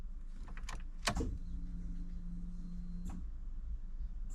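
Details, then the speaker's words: Jeep Cherokee, dormant eight years, at key-on with a weak battery and about a quarter tank: faint steady low hum for about two seconds, then it stops. The in-tank fuel pump is priming normally. "I don't know if you heard that on camera but the fuel pump in the tank is working this thing might run guys"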